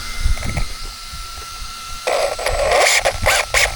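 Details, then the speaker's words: Traxxas Slash 4x4 VXL 3S RC truck: thin steady whine, then rough buzzing bursts under throttle with no drive; slipper clutch had come loose and slipped, fixed by tightening it. "Right, that's slipper guys. Um, it does look like I'm going to have to uh cancel this one."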